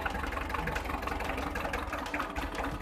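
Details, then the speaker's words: Hyundai 1.25-ton diesel truck idling with a lumpy, uneven clatter after a sudden clack while driving, then heavy vibration and lots of smoke; cylinder 3 is dead while 1 and 4 fire. "1 nổ giờ. Máy 3 không nổ. Máy 4 nổ bình thường."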